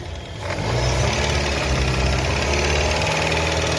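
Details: Customer car with a strange engine noise, idling and revved: a steady low rumble with knocking from the front accessory drive that persists as revs rise, from a worn A/C compressor; the alternator belt was removed to isolate it.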